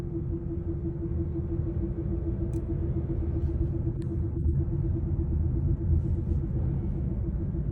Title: Humming noise from prof-shaft centre bearing support. #mechanic